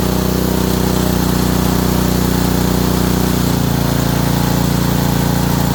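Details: Honda engine (likely a water pump) after an ignition coil install runs hard with a heavy, regular knock under the exhaust note, roughly a hundred beats a minute. Bottom end suspected; oil didn't look terrible.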